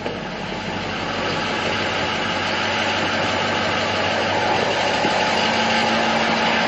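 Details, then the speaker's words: 2006 Ford F-550 4x4, 6.0 L diesel, five-speed, idling with listener walking around the exhaust: steady hissing rush over an even idle, no knocking; owner suspects a plugged catalytic converter, unconfirmed. "Yeah. So, I'm pretty sure that that um catalytic converter is uh plugged up."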